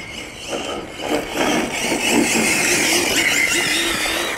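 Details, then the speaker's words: Hobao Hyper GTB 1/8 all-metal electric street basher with Hobbywing MAX8 combo, 60+ mph: high electric whine with a scraping squeal rising and falling with speed, tyre rubbing from badly glued tyres, not ballooning; a tyre threw its foam. "Just want to jump in here and say the rubbing you can hear isn't because the tyres are ballooning, it's because someone done a really bad job of gluing them."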